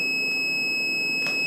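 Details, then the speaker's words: Solar-system power inverter powered on with battery input reading 10.6 V, batteries expected at 13.5 V: steady high-pitched continuous beep with nothing behind it; low input voltage alarm, owner suspects the inverter rather than the batteries. "it's at 10 point 6 volts according this this is the beep I was talking about that's why I'm thinking it's because it's the inverter not the batteries"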